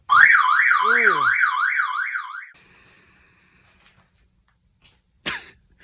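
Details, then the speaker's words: 1992 Porsche 964 Turbo with 26,000 miles, in a garage with the door closed to locate the siren: the alarm went off on unlocking with a loud warbling siren sweeping about three times a second for two seconds, then stopped. The remote battery is dead, so it can't be retriggered. "Man, at least if we can find out where that siren is."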